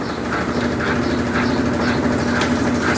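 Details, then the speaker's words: Brastemp BWG 11 kg washing machine, reassembled after repair, spinning empty without clothes: steady even hum with no knocking or banging against the cabinet; normal spin, expected quieter when loaded. "A máquina já montada, tá? Então nós vamos ver aí o funcionamento, ó, ela vazia, sem roupa, e com roupa ainda vai ficar centralizada ainda, né? E vai fazer menos barulho, porque o cesto está ocupado, ó."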